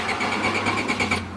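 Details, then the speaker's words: 1993 Honda Accord automatic with a flashing D4 light: the starter turns the engine over at a steady quick beat but it never fires; cranks but won't start, traced to a failed main relay. "turns over but doesn't start."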